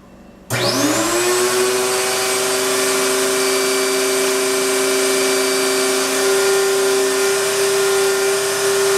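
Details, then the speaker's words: Astro Vac central vacuum power unit (Lindsey Manufacturing) in the garage, motor bearings reported bad at last service but still running. It spins up within a second to a steady, loud, high whine with a rough edge underneath. "it's kind of loud but it's really not that bad and and yeah we do have one problem with it the bearings in the motor are bad"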